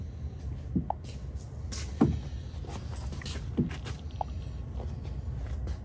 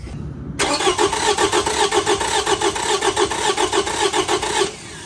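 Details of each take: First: Petrol V6 with a cylinder 3 misfire code, cranking steadily without firing (ignition or fuel disabled) for a relative compression test; the even, unbroken rhythm shows balanced compression peaks and likely no compression issue. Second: V6 engine with a spark plug pulled to simulate a no-compression cylinder, like a broken valve spring or holed piston: starter cranks about four seconds with an uneven galloping rhythm, shown by oscilloscope relative compression test.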